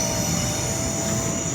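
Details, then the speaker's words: North Sydney train line between Waverton and Wollstonecraft stations: a steady high screech over a low rolling rumble as wheel flanges squeal on a very tight curve. "I mean these tracks are so curvy that we can literally see the front of the train. Right. So this is going to be interesting getting a sound meter probably on that bridge. And you can actually hear the sound screeching, right?"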